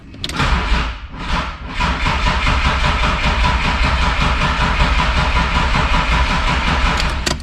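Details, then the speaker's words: BMW E36 M3 with S52 engine, unregistered since 2018, starter circuit jumpered to bypass a Clifford aftermarket alarm: steady rhythmic crank for several seconds but never fires, as EWS immobilizer isn't communicating with the DME. "all right as suspected we at least have the thing cranking okay so let's uh talk about this situation"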